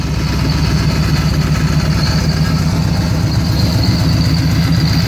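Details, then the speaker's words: Supercharged 2013 Victory Cross Country V-twin after sitting nearly two years, started following new plugs, ignition coil and front plug wire (poor contact had fouled front plug); lumpy but steady idle, both cylinders firing evenly, no misses, running okay now. "have a change the plugs change ignition coil but she's running okay now"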